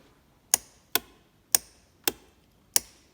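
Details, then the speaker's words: 2007 Honda FourTrax TRX250TM quad won't start despite battery over 12 V on the start button; six sharp solenoid clicks about every half second with no cranking, faulty starter motor. "you can hear the solenoid clicking in there so i've gone and tested this side of the solenoid okay so the other side which then"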